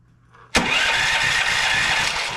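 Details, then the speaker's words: Westinghouse WGen9500 generator (12,500 peak watts) that won't start, fuel and oil fine, low-oil shutdown bypassed: starter whirs about two seconds with no firing pulses; cranks but no start, still no spark. "I got nothing still no spark whatsoever on the unit"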